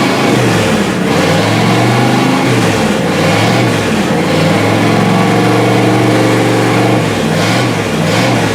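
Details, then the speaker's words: 1955 Buick after distributor gear replacement, static timed at 5 degrees, points cleaned and reset, first start, warmed up a little: catches and revs smoothly up and down with no stumbles or misses; normal running. "That's good enough for me. Got it warmed up a little bit."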